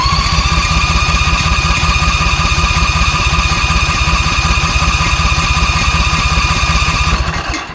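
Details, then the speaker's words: ZT200 mower with a newly fitted replacement engine: the small engine runs steadily, then falters and dies abruptly from fuel starvation; the owner first suspected the fuel pump, but the tank selector had been bumped and was choking off fuel. "not enough fuel to keep it running"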